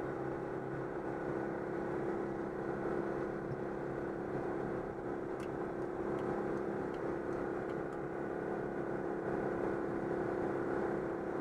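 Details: Citroën 2CV on the motorway at about 90 km/h after fixing an air leak in the fuel hose before the fuel pump: even, unbroken engine drone under road and wind noise, no surging or stumbling; repaired.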